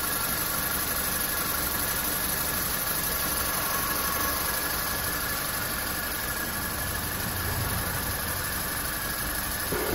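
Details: Opel Corsa D with a Z12XE engine idling after repair of a cylinder head cracked by overheating and a replaced faulty gearbox; even, steady idle with no knock, misfire or uneven beat. It sounds normal.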